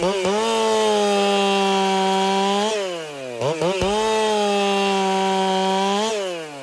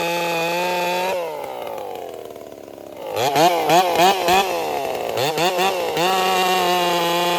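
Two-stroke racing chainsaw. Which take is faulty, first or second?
second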